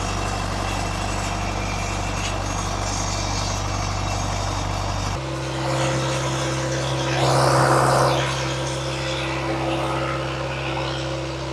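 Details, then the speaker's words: Irrigation pivot diesel engine, started with exhaust straight out the turbo and no muffler; the drone jumps in pitch as it catches, revs briefly and settles, running evenly; normal diesel start and run. "engine is so loud because it like just goes straight out the turbo and there's no muffler."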